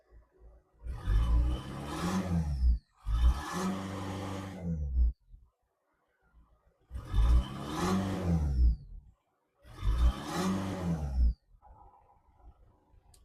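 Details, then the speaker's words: VW Caddy converted from 2.0 SDI BST to 1.9 TDI PD BLS, with a new auxiliary belt after earlier screeching and the exhaust fitted only to the center section. Four clean revs rise and fall smoothly, no squeal or knock; it runs well. "She runs sweet. Idle's nice. Runs well."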